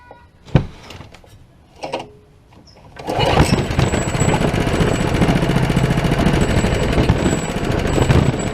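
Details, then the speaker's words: Old Honda small engine that sat for years: a few pull-cord tugs, then it fires and runs rough only on starting fluid. Spark and air are present but it gets no fuel, so a fuel problem is suspected. "since this engine is only running on starting fluid I figure it has a fuel problem"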